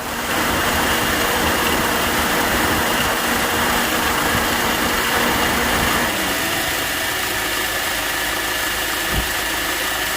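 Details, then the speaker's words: Honda Accord, engine running about 15 minutes with AC on but blowing no cold air, check engine light on: steady loud condenser fan rush over an even idle with the AC compressor clutch engaged; cause not yet found. "So the AC is on. Condenser fan is going crazy. The AC clutch is engaged."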